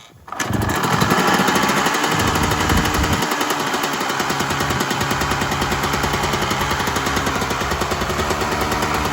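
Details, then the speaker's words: 1996 Yamaha YZ250 two-stroke just after carb tune-up, starting from cold: kicks over and settles into quick, crisp, even idle without stumbling or hunting; normal idle, much better than before. "lot better just on idle. Okay, it just started to get warm. You can start to feel it get a little bit hot."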